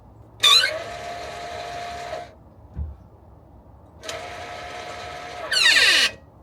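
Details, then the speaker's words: Car that has a brake warning light; electronic parking brake released gives two high-pitched motor whirs of about two seconds, tone sliding at the end. Actuator sounds strained; fault under investigation. "I heard him just remove the parking brake and heard this"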